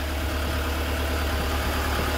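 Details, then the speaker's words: Honda Civic hatchback first started after about 10 years, run briefly without coolant, headers getting hot: low, steady, quiet idle rumble with no knocking or grinding; smooth idle, though this says nothing about compression and the engine is still called junk. "it's running i don't want to let it run too much because there's no coolant in there so i don't want it to overheat headers getting hot but it sounds really good i don't hear any grinding i don't hear any um you know no knocking it's really quiet"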